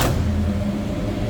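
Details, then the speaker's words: 1972 Chevrolet K20 Cheyenne Super, big-block V8 with true dual exhaust and X-pipe, just after a cold start: deep, steady low rumble with an even beat at a slightly raised idle; normal cold fast idle. "Again, true dual exhaust X-pipe. That was a cold start, so we have a little higher idle here."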